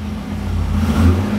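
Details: 2009 Corvette C6 convertible V8, one owner, low mileage, just started; smooth even rev rising and settling, deep and clean, no lifter ticking; healthy engine.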